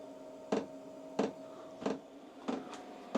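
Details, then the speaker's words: Hcalory diesel parking heater in a small workshop during startup priming cycle, fuel pump pulling fuel through while the fan gradually strengthens: sharp ticks about every two-thirds of a second over soft fan hum; normal startup. "So, that's into its priming cycle. So, it's now pulling the fuel through into the engine. If you can hear the actual this fan's gradually getting stronger,"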